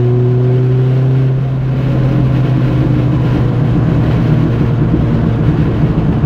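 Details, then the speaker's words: Renault R5 Turbo 2 on a test drive: steady engine drone, then a rough plop-plop crackle on lift-off, normal for this K-Jetronic injected car, which has no fuel cut on deceleration. "je sais pas si vous entendez, mais là, bon, ça pétarade, typique de ces voitures-là. Hein. Parce que bah, forcément, comme on est en injection K, on n'a pas de coupure d'injection à la décélération."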